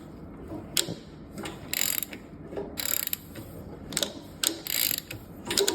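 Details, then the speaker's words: Nova engine on a stand, turned slowly by hand with oil pump and covers off: bursts of sharp metallic clicks and rattles at the front; the timing chain seems to jump a tooth and poke out, with the bottom gear possibly too far on or off center. Suspected, not confirmed. "it's weird it looks like it's trying to jump a tooth if you watch here you'll see it like it pokes Out The Chain"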